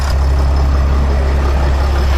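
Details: Sprinter van 3.0L diesel, after engine oil cooler replacement, checked from under the vehicle: steady low idle with even rumble, no misses or knocks; no leaks while running, engine running smoothly.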